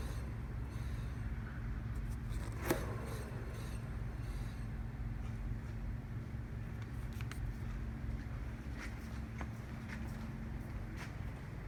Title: ROVER MINI ハブベアリング異音